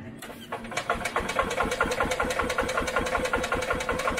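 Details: 1986 EZ-Go Marathon golf cart with mixed fuel and choke pulled: repeated cranking pulses about two to three a second, engine turning over but never catching; cranks but won't start, and fuel may not be drawing through.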